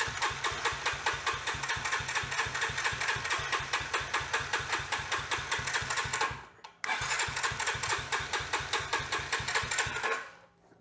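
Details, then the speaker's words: Yamaha TT-R110, year unknown, being revived, with new battery, choke on, fuel not yet checked: starter chugs with even compression pulses in two bursts but never catches; carburetor suspected, not confirmed. Cranks but won't start. "well i suspect we're going to need to go through the carburetor on this thing as well so we'll add that to the list of things to do"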